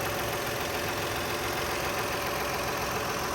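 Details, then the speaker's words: 2001 Lexus RX 300 engine running after a new air filter, fresh oil, new transmission and brakes: a steady, even idle with a smooth hum and no misses or knocks. The check engine light shows bank 1 and bank 2 knock sensor codes. Normal idle. "Sounds good. All right, so yes, it does run great. New transmission, goes down the road, stops like it's supposed to with new brakes on it."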